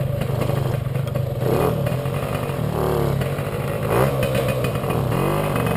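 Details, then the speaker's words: Puch Maxi moped "Jägermeister", 2 HP two-stroke, riding before repair. The engine stutters badly and bucks when pulling away at low revs, with an uneven rise and fall and surges over wind noise. Ignition misfire, not the carburettor: the NGK plug cap has a loose contact and a broken pin. "auf jeden Fall war das Problem dass bei meiner 2 HP der Motor extrem gestottert hat ich hatte zünderaussetz es hatte nichts mit dem Gaser zu tun"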